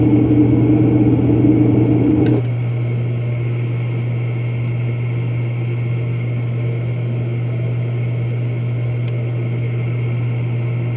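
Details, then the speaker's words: Commercial office heater after a new universal igniter was fitted and adjusted into the flame: steady low hum with an even blower rush and a brief louder whoosh settling after two seconds, no rattles; now lights every time, normal operation. "but now it's lighting right up every time and blur comes on it sounds good everything looks really good"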